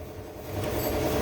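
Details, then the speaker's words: Toyota Hilux 2GD diesel, repeat start: short smooth crank building into engine note, no grinding or hang-on; bendix drive releases cleanly, no other problem. "so wala siyang ibang problema starter bumitaw na ang bumitaw ang bendx drive"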